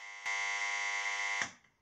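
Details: Italian Cinematronics clone vector arcade, power supply repair, tantalum capacitors on monitor PCB replaced with 50V electrolytics: harsh buzz at switch-on for about a second then drops; abnormal buzzing, cause unknown.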